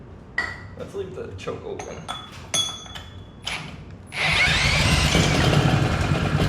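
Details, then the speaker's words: Previously seized Honda GX200 single-cylinder engine, torn down, milky oil and cylinder rust cleaned, started with ether, choke open, full throttle: after clinking, it catches and runs with a steady, slightly rough buzzy beat; running, not the best. "open it's definitely running I don't think it's running the best but see you can guys hear it start"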